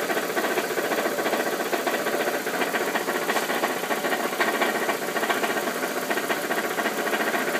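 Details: 2001 Ford Focus at idle: light uneven rattle about three to four per second from the belt housing, gone when revved or on highway; torque bolts checked, cause not yet found; idle rattle.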